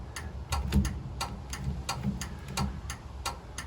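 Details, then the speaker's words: 1936 Chevy coupe, new universal turn signal switch and two-pin flasher: steady dry clicks about three a second continue with the switch off even after swapping the flasher terminals. "i've swapped those terminals around in the flasher let's try again oh goodness and it's still flashing"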